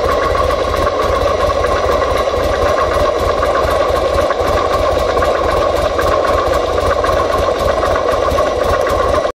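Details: 2005 Buell XB9SX motorcycle: steady fast idle with a dense, even mechanical clatter running through it; abnormal engine noise, source unclear.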